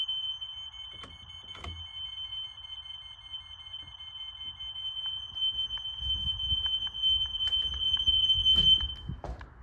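A shrill, continuous high-pitched alarm tone holds throughout with a few handling clicks; the linked smoke alarms are all sounding on test.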